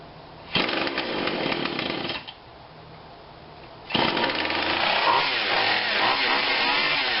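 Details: Husqvarna 142 40cc chainsaw not run in a long time, during repair and tune-up with cover off: bursts to a high buzzy rev, drops back, then holds a steady rasp; saw runs fine.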